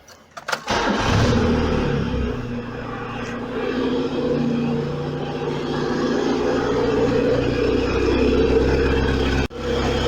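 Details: Engine on Speeduino ECU with idle air control actuator being set up, targeting about 1000 RPM at operating temperature: catches within a second, settles into a smooth, even idle with steady low hum, no misses or knocks.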